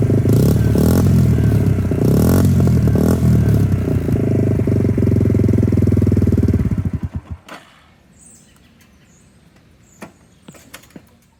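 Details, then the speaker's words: 2002 Suzuki GZ250 single, straight-pipe exhaust, after carburetor needle shim adjustment that cured a throttle dead zone: loud open-pipe thump, even for about seven seconds, then clean shutdown with no misses. "in addition the bike seemed to warm up quicker only requiring the choke to be on for one or two minutes of driving"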